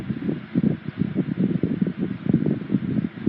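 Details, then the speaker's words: 1980s Sanyo 9-inch oscillating fan EF709R, serviced and oiled, on high speed: rushing airflow with light quick fluttering rattle; not the motor, just fan vibration resonating through the base. "It does have a slight rattle to it when it's running on high speed, but it's not the motor that's doing that. It's just the vibration of the fan that's resonating through the bass."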